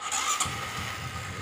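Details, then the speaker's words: Honda Supra 125 whose starter motor spun backward and couldn't turn the engine, fixed by correcting reversed magnet installation in the starter casing: brief starter whir, engine catches cleanly and settles to an even idle; normal start. "Oke sudah beres ya ini mesin sudah nyangkut udah mau nyala lebih permasalahannya cuma di salah pemasangan magnet yang sejati"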